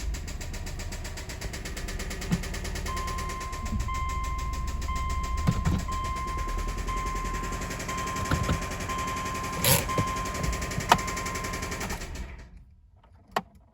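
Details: 2005 Subaru Outback XT engine running at low speed, steady hard knocking under the rumble from a spun rod bearing, while being moved into the garage.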